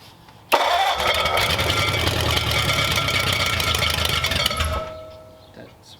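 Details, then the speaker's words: Freshly built hopped-up flathead for a 1932 roadster, first start: engine catches with a harsh metallic whirring grind that cuts off as it drops; starter not disengaging from the flywheel. "sounds like the starter's hanging up it does it's kicking the starter isn't kicking out"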